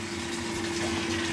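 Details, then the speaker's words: LG washing machine drain with a dishwasher pump fitted in place of the failed pump, draining under load: smooth constant hum under rushing water, no rattle or labouring, drains fast like a dishwasher, not overheating. "So, um this sounds like a dishwasher when it drains now. And boy, it drains fast. It doesn't seem to bother it either."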